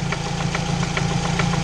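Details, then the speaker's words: 2006 Chevy Cobalt LS idling, heard from underneath: deep, even knock about five times a second, loudest near the oil pan; typical worn rod bearing knock. "I mean like it's going from around the oil pan area alright guys well that's that's pretty much it for this car for those of you that don't know what's going on by now it sure does sound like a typical rod bearing knock"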